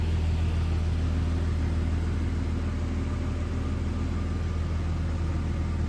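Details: 2001 Jeep Cherokee XJ, 4.0L inline six, automatic, 73k miles, idling: smooth, deep, even hum pulsing about three beats a second, no ticks or misses; runs great, good oil pressure, no overheating.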